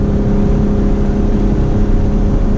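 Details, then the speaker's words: Mitsubishi 3000GT VR4 under load on the road: uneven, stumbling drone, breaking up with jerking; plugs and wires were replaced earlier for the same problem, owner suspects plugs or the differential. "Now it's breaking up again. And that fucking jerking, man."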